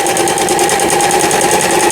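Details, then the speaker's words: Lion Mising-sold Janome Harmony 2041 household sewing machine, about 20 years old, after repair of lower shaft gear/shuttle race timing that failed to pick up bobbin thread: quick even chatter with light steady whir sewing SS overlock stitch, no knocks or catches; normal running. "그러니까 옷감이 풀리지 않도록 해주는 이런 오버록 스티치가 여기에 해당되겠습니다. 보시는 것처럼 옷감을 감춰주면서 오버록 바느질이 잘 되게 나옵니다."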